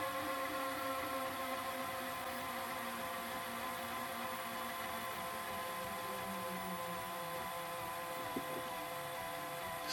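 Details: Pye VRD-300L VCR on a 1992 Daewoo chassis during rewind: even motor whir with a shifting tone that labours towards the tape's end. The drive belt is slipping, likely causing the noise.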